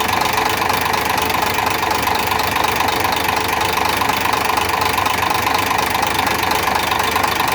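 Sharp ticking knock about three to four times a second over a steady idle, clear above the engine hum; source undetermined.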